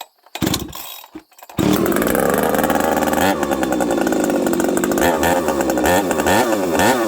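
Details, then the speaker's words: Husqvarna 371XP chainsaw on the bench, started on full choke with yet another carb fitted and the spark plug already changed: it revs hard but stumbles and misses unevenly near full throttle, running worse. Misfire under load; a flywheel fault has been suggested, cause unconfirmed. "It runs even worse now. What do you guys think? I need your guys' help. You hear that? It's missing."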